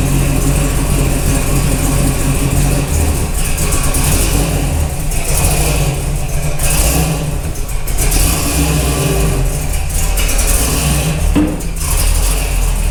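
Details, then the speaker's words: Split-bumper Camaro with a swapped-in 468 big-block Chevy V8 that quit on the road, fuel line blown back and checked: crisp blips rise and fall cleanly with the throttle, no misfire or stumble; revving freely and running right. "let's see if we got any leaks [Music] that sounds pretty good [Music]"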